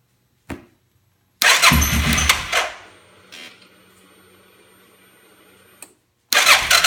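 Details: 2005 Suzuki King Quad 700 ATV with Copperhead VDI aftermarket ECU, starting problems since install: two short brisk starter bursts, never catches; crank no start. Owner blames ECU; maker blames faulty charging system, battery dropping to 8V.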